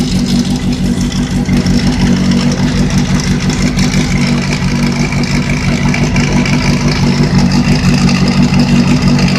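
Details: Revving engine with a fast rattle of about three beats a second rising with throttle, located next to the sprocket; owner suspects a failed bearing. Cause not confirmed.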